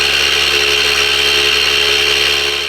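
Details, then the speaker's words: Harvest Right medium pro freeze dryer vacuum pump priming on first run, plugged straight into power, oil level dropped then about perfect: even constant hum with steady high whine, very quiet, strong suction, no knocks or rattles; normal running. "It is very quiet. I'm very pleasantly surprised how quiet it is. Oh, she's really got some suck."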